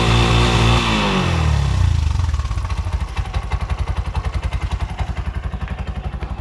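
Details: Bajaj BS6 2023 single-plug auto-rickshaw, 10 months old, with CNG starting trouble: after correcting an over-tight setting, a brief starter whirr, then a steady, even single-cylinder putter at about 220 beats a minute with no top-end tapping; healthy idle, quieter now.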